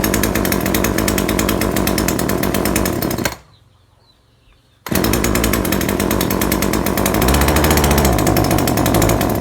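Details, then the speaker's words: Chainsaw that loses power after running a while and was retuned without success: rough, buzzy running stuck at one speed, briefly dropping out and picking back up without climbing in pitch; bogs and won't rev, fuel-like cause suspected, not confirmed. "นะแต่มันมีอาการเร่งไม่ขึ้นจริงด้วยครับคนจะเร่งไม่ขึ้นมันเหมือนมันเหมือนน้ำมันหนาครับ"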